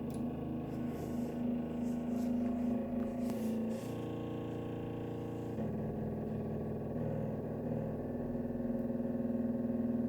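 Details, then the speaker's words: Steady low hum from a heating radiator valve as the warming thermostatic head nearly closes the valve; it lasts until the valve shuts fully and the pressure drops, then stops abruptly. "оно прогревается термоголовка прикрывает термо клапан начинается гудение пока полностью не перекроется термо клапан давления не уйдет"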